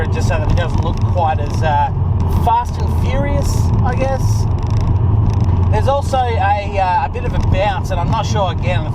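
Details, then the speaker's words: 2006 Subaru WRX Hawkeye with an aftermarket cannon exhaust, driving over bumps: irregular high chirping squeaks over a steady road rumble. The boot latch is slightly loose and bounces in its catch, squeaking at the back. "the boot latch is a little bit loose it seems to just uh bounce a bit as as we go over bumps etc you can hear it squeaking in the back that's what that noise is"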